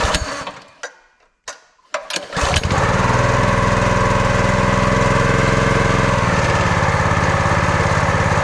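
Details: Brute 30-ton log splitter with Briggs & Stratton engine (about 5–6 hp), customer's no-start, started after repair: a couple of sputtering tries, then catches and settles into a steady, even beat with no misses.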